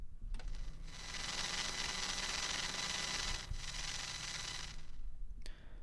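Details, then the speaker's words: Shure SM58 microphone held near an MSI Radeon RX 580 graphics card through a Komplete Audio 1 interface: loud hissing buzz that starts abruptly, holds, drops out and returns; electrical interference, cause unknown. "it seems to do something with the graphics card so i have an rx 580 um radeon graphics card and it makes this noise when i hold the microphone up to it"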